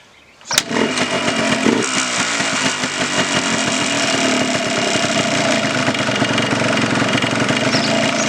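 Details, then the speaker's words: 1989 Yamaha Blaster 200 two-stroke, first start after sitting 15 years, choke pulled: fires and runs ragged and uneven, stumbling at low idle; mixture adjuster barely helps, idle speed set too low. "It's I can feel it or hear it make an effect, but it's just not idled up enough."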